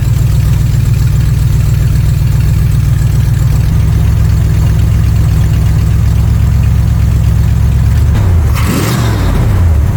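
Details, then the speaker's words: 1979 Corvette C3 small-block V8 with a newly installed Holley Street Demon 625 CFM carburetor, warming up, idle unadjusted and dead on: steady low even idle with a smooth rise and fall when revved, starting quickly and running smoothly; normal idle and revving. "but it did start right up quickly and ran smoothly. And guess what? I didn't have to adjust the idle. It was dead on."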